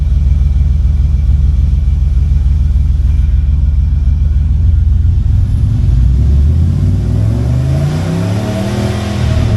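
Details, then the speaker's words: 1985 Monte Carlo with single-turbo 4.8 V8 and 4L80E, restarted after an exhaust fix done from underneath: deep, even burble, now toned down versus the loud earlier sound, climbing smoothly when revved, no ticking or puffing; running healthy. "Oh yeah, that sounds completely different. Oh, that sounds a lot better. Like before, it was loud. Now it's toned down, but it sounds better."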